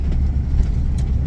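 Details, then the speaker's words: RV cruising: even low road rumble, former whirring and faint grinding gone, noticeably quieter; normal driveline. "a lot quieter. Do you hear that? It's so much quieter. I'm happy."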